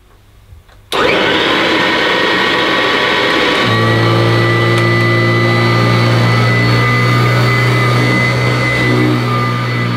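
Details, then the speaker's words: Kirby Classic III vacuum cleaner, old unit at first run after unboxing, cracked panel: motor spins up to a steady, ear-piercing high whine over a low drone, unusual for a Kirby despite strong suction; cause not found. "but it's got an ear piercing tone to the motor which I don't expect from a kirby"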